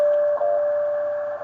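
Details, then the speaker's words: Repaired Ten Tec Omni 6 Plus transceiver, with its cleaned board dried overnight, tuned to the WWV time signal at 10 MHz with an antenna for a test run: clean steady tone with a tick each second, receiving normally. "WWV time signal at 10 megahertz with the antenna on it for a test run, and I'm going to run it."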